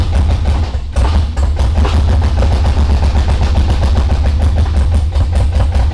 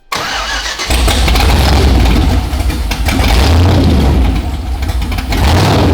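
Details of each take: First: LS V8 swapped into an R32 GTR, new Holley harness and spark plugs, injectors that sat unused for a while; loud lumpy idle with uneven stumbling beats as cylinders drop out; misfire, running on few cylinders. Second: LS V8 swapped into an R32 GTR with stock GM EV1 injectors at about 60 psi fuel pressure, not yet warmed up, tune running lean; deep steady idle with even lumpy beat, no knocks or misses; normal idle.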